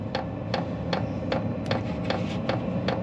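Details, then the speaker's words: Steady sharp clicks about two and a half per second over a low fan rumble: a newly installed VEVOR 8 kW diesel heater mounted outside a cargo trailer, fuel pump clicking normally on first startup, no muffler fitted yet. "You can just hear the fuel pump clicking outside, which is nice."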